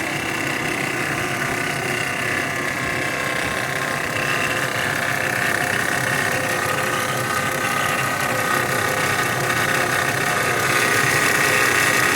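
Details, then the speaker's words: 2016 Dodge Grand Caravan 3.6L at idle: steady light, fast metallic chatter from the engine front over an even idle. Owner suspects timing chain or variable valve timing gear rather than a pulley, alternator bearing or accessory belt; not yet checked, before repair. "pero para mí no suena como un como una polea o como el balero del alternador suena más como el el en grande variable suena como la cadena de tiempo qué estás haciendo ruido"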